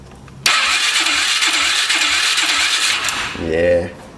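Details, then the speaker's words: 2003 Polaris 500 H.O. ATV, which sprays oil into the airbox while running, cranked on the starter: the single spins fast and evenly with soft, barely loaded compression strokes, then briefly catches. Compression is weak from worn rings, and it needs a top end. "it's got compression issues. It's going to need a topy in. A toy end. That right there is a good way to test to see if the rings are holding."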